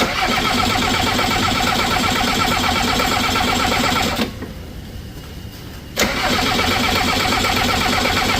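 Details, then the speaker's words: Diesel skid loader at 22°F while air is bled from the fuel lines: steady cranking at three to four beats a second that pauses and resumes. It won't catch, and one injector delivers no fuel; air in the lines was found. "We just got some fire for the first time. We're gonna see if we can get her to keep going. For some reason, we're not getting fuel out of this injector."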